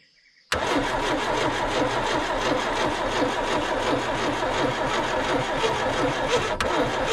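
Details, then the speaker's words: 1970 Opel sitting about 41 years, gasoline poured down the carburetor: a long, even starter churn at about three turns a second that never catches. Owner suspects the ignition timing, possibly 180 degrees out. "so i've been cranking it over a little bit more and all i managed to do is burning off all my arm hair from the back firing but i think i found the problem"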